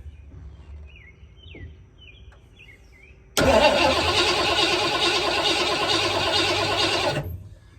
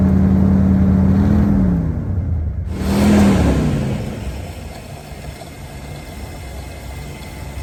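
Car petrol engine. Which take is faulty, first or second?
first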